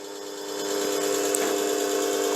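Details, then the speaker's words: DC treadmill motor on a repaired, modified 6x9 belt/disc sander-linisher, driven by an SCR controller via bridge rectifier; potentiometer turned up, motor spins up in about half a second, then settles into a steady, even hum with no knocks or rubbing: normal run. "turn the potentiometer and you can hear the motor kick up which is over here"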